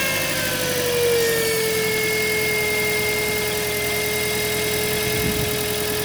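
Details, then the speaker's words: Toyota Auris alternator at idle, noise under hood near alternator first noticed at full steering lock: steady mid-pitched hum, sagging briefly then holding; whine caused by failed diode bridge, fixed by rebuilding Denso alternator with bearing replaced. "причина была в диодном мосте именно именно в диодном мосте как я и говорил вот этот шум"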